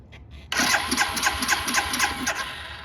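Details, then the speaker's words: Barn-find 2005 Suzuki GZ250 with 950 miles, on reserve with choke: starter spins engine with even, strong compression pulses about four a second but never fires; owner suspects old gas. "Sounds like it has compression. I bet you that gas is going to be pretty old."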